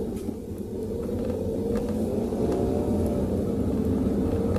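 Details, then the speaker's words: Car test-driven over humps with hard and full braking after cleaning rear brake shoes and drums and checking adjustment (shoes had been slightly dragging); steady road rumble, no tok-tok knocking from rear brakes now; quiet normal braking. "So far, wala na akong naririnig na tunog na tok tok tok katulad ng kanina nang nasa video pinakita ko, pinakinggan ko sa inyo."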